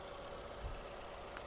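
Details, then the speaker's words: 2002 Skoda Octavia Tour 1.8T petrol, 195,000 km, serviced, equal cylinder compression: steady, even, quiet idle with smooth low rumble, no smoke, knocks, misses or ticks; engine healthy. "автомобіль завівся в співтику не димить не троїть працює тихо рівно"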